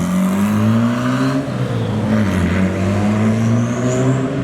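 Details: Freshly rebuilt engine (pistons and rods out and reassembled): crisp rev blips rising and falling smoothly with the throttle, no ticking or knocking underneath; strong and healthy.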